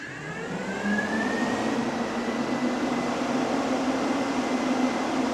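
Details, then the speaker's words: 1966 Dodge Coronet restomod with Gen 3 HEMI swap: cooling fans spin up with a rising whir, then settle into a steady, even hum with no rattle; strong fans running normally. "I don't know if you can hear it or not, but those fans fired up. All right. So, let me do that one more time so you guys can see it. Yeah, we got strong flow going. Those fans are kicking butt."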